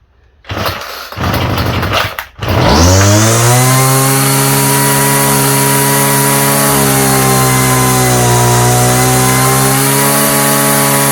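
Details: Homelite string trimmer, no model number, new non-OEM Chinese aftermarket carburetor; after sputtering pulls it catches to a high buzz that sags and wanders, running unevenly and popping. Cause suspected, not confirmed.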